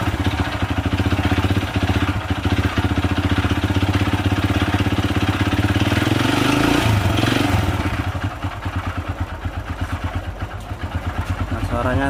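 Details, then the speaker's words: Supra Fit New motorcycle with a very rough-sounding engine, before teardown; harsh, gravelly clatter, like stones inside, rides over a fast uneven idle and swells with the blip, source not yet found. Rough engine noise. "tuh kasar seperti ada batunya di dalam itu ya bro ya."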